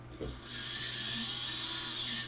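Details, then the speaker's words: FPV quad brushless motor spun up with props off in Betaflight motors tab: a smooth, steady high whir, judged clean, though some other motors on the rig have slightly worn bearings. "this rig has pretty pretty clean motors on it right now very cool"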